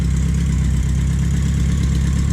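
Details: BMW K100 café racer build, just started for the first time after the missed wire was connected: steady, even low idle rumble with no misses, knocks or stumbles. Runs cleanly.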